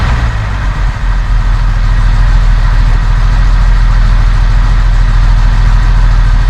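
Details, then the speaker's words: 1971 Mercedes-Benz 280 SE (W108) after its mechanical fuel injectors were cleaned and bench-tested: deep, steady idle with an even beat, no missing or stumbles; a little smoke, possibly running slightly rich; sounds good. "Oh yeah. No missing. I see a little smoke here. Could be running a little rich. Tell you what, sounds good."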